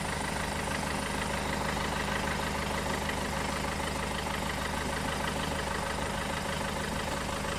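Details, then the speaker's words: Peugeot 406 2.2 HDi diesel idling on a freezing morning, undertray off, hose used as a listening tube: faint, quick chirping squeak over the idle traced to the alternator's clutch pulley. "yeah pick that's my alternator listen to my father oh yeah I'd send a little chirping sound here is actually the clutch on the end of the alternator"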